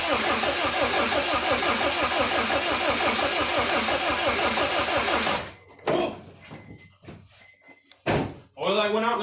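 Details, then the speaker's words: eBay EM2 Honda Civic with a replacement stock D17 engine, injectors unplugged to prime oil pressure before first start: fast, even starter chug, every compression stroke pulling equally; healthy, balanced cranking compression. "all right this bad boy up sounds pretty good sounds like that's compression"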